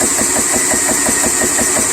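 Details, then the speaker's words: PCP 4500 psi high-pressure air compressor running, slightly off level on an air conditioner grate: steady hum with light tick about six a second over high hiss; ticking source unknown. "You hear that little ticking sound? I don't know if you can hear it or not, but I do. I don't like it. But hey, it's running."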